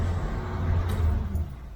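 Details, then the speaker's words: 1971 Corvette C3 with a 350 small block, after the power steering pump was replaced and refilled; a steady low engine rumble with no whine while the wheel is turned full right and full left. Normal power steering, no whine. "So I think that took care of my problem. Go all the way to the left, same way, doesn't whine at all."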